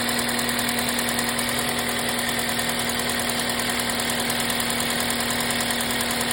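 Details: 2005 Toyota Matrix XR AWD, 1ZZ engine, 258K miles, timing chain tensioner replaced with OEM 25K miles ago: light, fast, fairly even tick over the steady idle hum, slowly getting worse over months; cause unknown.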